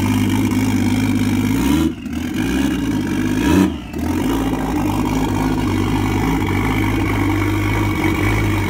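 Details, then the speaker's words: Low-mileage Toyota 1JZ VVTi six, stored about 2 years, first-start health test before an S13 240SX swap, with no coolant: strong steady note, two clean throttle blips, no knocks or rattles. Healthy, though it won't hold idle yet. "That sounds so fucking cool! Yeah! It's healthy. Super healthy!"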